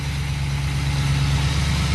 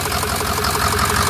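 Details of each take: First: Pickup that once misfired from two dead injectors, now running rebuilt injectors from an 06, at idle and revved. Deep, even rumble with no stumble or hesitation; normal idle, unlike the misfiring flatbed. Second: Flatbed truck at 213,379 on the odometer: rough, uneven idle with a lumpy, stumbling misfire that is getting worse; it still starts right up.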